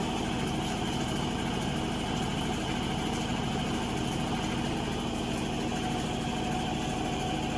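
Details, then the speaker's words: Avanti TLW21D2P portable washing machine, found discarded and under repair, spinning as the pump test finishes draining the water: a steady, even motor hum with a faint regular pulse and no knocks or scraping. It sounds healthy. Normal spin cycle. "The water is almost out. It's spinning."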